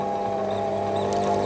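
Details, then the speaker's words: Optimum T2506 VB lathe boring a polyethylene bushing with a long-overhang boring bar: a steady, thin, mid-pitched squeak while the tool tip is buried in the hole bottom, melting the plastic. "in fact one of the biggest problems with cutting polyethylene is that it melts that squeak you can hear is when I bury the tip of the tool in the bottom of the hole"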